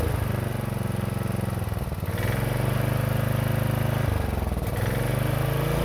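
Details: 1960s Generac generator not run in decades: steady low, even single-cylinder thrum with a brief dip near two seconds, holding speed; runs cleanly.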